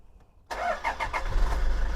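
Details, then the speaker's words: 2013 Toyota Innova G automatic 2KD diesel, 158,000 km, fresh oil change: brief starter crank, catches at once and settles into a steady, even idle with no misfire or stumble; normal start. "langsung hidup ya teman-teman."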